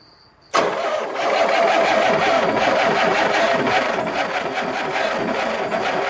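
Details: 1967 Corvette with a 427 built to L88 specs, new distributor, plug wires and headers, first start after sitting for over 40 years: short crank, then it catches sharply and settles into a loud, lumpy, uneven idle.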